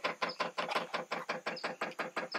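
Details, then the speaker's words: 5 kW all-in-one diesel air heater on 12 V battery via alligator clips, freshly filled with diesel: sharp steady ticking about six per second as the dosing pump primes the fuel line normally before startup. "so we're gonna wait until that sound uh turn off that's gonna be the system prime and all the fuel is gonna be in the hose and it's gonna be ready to run"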